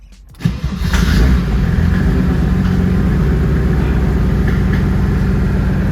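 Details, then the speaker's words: 1973 Datsun 240Z with a Mercedes OM606 3-liter straight-six turbo diesel, first start after crash repairs and intake mods, glow plugs cycled first: cranks briefly, catches quickly and settles into a steady, even diesel clatter at idle; healthy start. "Started right up. Right? Sounds good."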